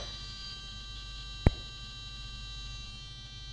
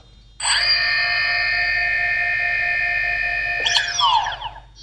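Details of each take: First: A DJI Phantom 2 Vision drone's gimbal servo makes a steady, high, modem-like electronic buzz at power-on with the radio on, which is normal. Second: DJI Phantom 2 Vision powering off: steady electronic whine, then a click and uneven wavering fall in pitch, owner hears one motor jitter/stutter, which also stuttered at power-on.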